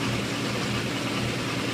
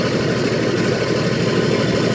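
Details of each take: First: 1980 International Scout II with factory Nissan SD33T turbo diesel, first run after rebuild, cold engine held near 1,000 rpm for warm-up: steady, even, slightly high idle, smooth drone, no knocks or misses; normal cold idle. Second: 1980 International Scout II, stock Nissan SD33T turbo diesel (Garrett T3), freshly rebuilt, first run in the truck, cold, idling about 750 rpm: steady hard clatter about three beats per second. Loud idle; owner unsure, suspects cam.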